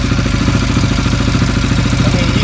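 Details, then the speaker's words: CFMOTO 400 ATV single, first start after rebuilding a blown-up engine, with a coolant tube leak: quick, even firing pulses with a busy clatter, steady; idle seems a little high, owner unsure. "Hey, man. Idle's a little high, I think, but maybe idle."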